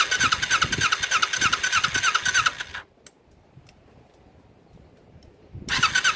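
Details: Kawasaki Ninja twin on project restoration with fuel splitter and temporary fuel line, flooding again: uneven stumbling firing, dies and catches again, still ragged; rough running, carburetors suspected.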